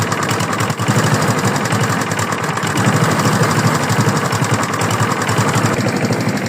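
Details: Free used lawn mower's small single-cylinder engine running loud and rough with a rapid, uneven rattling knock on every firing; engine knock, owner asks whether it is rod knock, unconfirmed.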